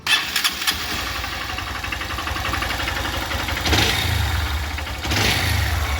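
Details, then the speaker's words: Honda Bros 160 motorcycle starting and idling with an uneven metallic knock that swells in bursts under the exhaust note. The mechanic suspects a connecting-rod bearing problem and plans to remove the engine. "Vamos ter que tirá do quadro, que eu tô achando que pode ser a biela que tá com problema de rolamento,"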